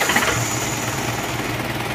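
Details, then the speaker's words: Isuzu Panther diesel as it arrived, before repair, engine already warm: rough, clattery chatter with fast uneven beat and hissing breath, thick smoke blowing, oil being consumed; heavy blow-by. "jadi mesin hangat ini sudah menyembur seperti ini tebal asapnya pastinya ini juga sudah berkuranglah olinya"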